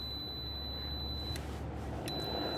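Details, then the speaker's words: Sliding gate with D5 and swing opener, safety beams moved close range, installer mode, covers off: steady high-pitched tone holding through the clip, briefly breaking; alignment tone confirms beams aligned and working. "let's take this over and see if we get alignment close range okay still in installer mode so there's our"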